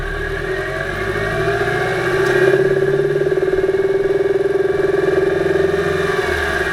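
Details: 2008 Subaru Impreza 2.5i, camera above driver-side timing belt cover, driving: light quick tapping over cruise drone, loudest near 2500 rpm under light-moderate load in any gear, fades with more load, absent below 2000 rpm; owner unsure if rod knock.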